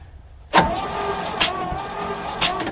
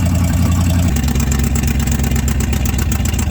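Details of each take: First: 1967 Chevrolet C50 V8 parked about nine years, thumb compression test at an open plug hole while cranking: steady starter whine with soft puffs about once a second; weak compression, two cylinders have nothing. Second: 1967 Chevrolet C50 V8 truck, sat about nine years, warming up on choke: deep, steady rumble with one brief rev rise, firing even with no miss; running normally, though the missing passenger-side exhaust donut still ticks.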